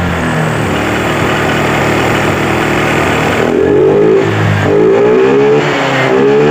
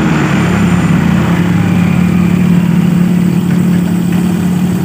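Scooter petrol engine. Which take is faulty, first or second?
first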